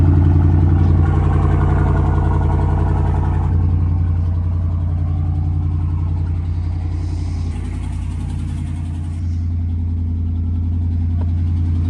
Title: Ramski, not a lifter tick ,manifold ! #ram #shorts #car #racing #rts #trx #viral